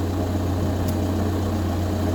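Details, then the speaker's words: VW Golf Plus 1.9 TDI 90bhp 5-speed manual diesel, after fuel filter and fuel pump replacement: steady low rumble at idle, even and unbroken with no hunting or cutting out; idling normally. "there we are car started no problem at all"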